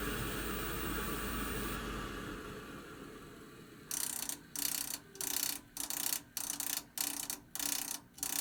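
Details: Navien CR-A 240 tankless water heater, installed 2010, unit drained and filters cleaned: soft hiss, then sharp, unevenly spaced clicking of about a hundred a minute, apparently from the inlet flow adapter/flow adjustment valve pipe. Cause unconfirmed.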